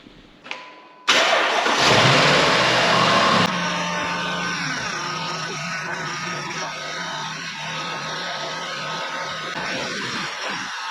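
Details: Flood-damaged Jaguar XK V8 after rebuild, all fluids, radiators, power steering and air con refitted: starter whirr, quick catch and a rev blip, then settling into a smooth, steady V8 idle; normal start and rev, runs healthy.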